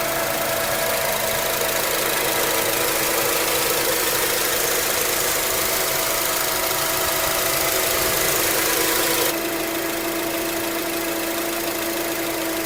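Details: 2004 Acura TSX automatic, whine since at least 138K miles, still present at 206K, no shifting issues or warning lights: steady constant-pitch high whirring over a smooth engine; torque converter suspected, unconfirmed.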